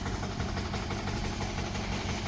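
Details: 178F 7 hp Chinese clone single-cylinder diesel after crankcase vent and valve cover gasket repair, running about an hour: steady, even idle with a regular low chug, no hiss, misses or leaks.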